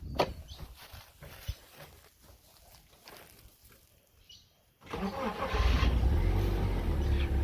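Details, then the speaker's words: BMW Z3 sitting four years on four-year-old fuel, fresh battery: quiet, then a brief crank and it catches straight away into a steady low idle; normal start after long storage. "four years old fuel been sitting here it starts up straight away"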